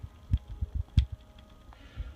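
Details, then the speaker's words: Whirlpool direct-drive washer: the metal drive coupler slides onto a worn motor shaft instead of pressing on, and rocking it by hand gives soft, uneven clicks of play. It will break again, so the motor needs replacing. "there is slop in this coupler without the motor turning it will move back and forth just just a small amount but that slight little bit of movement play you can hear it right there a little"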